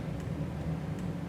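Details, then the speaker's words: 1972 Karmann Ghia after electrical rewiring: faint, evenly spaced, unhurried clicks under a low background rumble; both hazards blinking properly, flasher working normally. "hazards both hazards perfect blink"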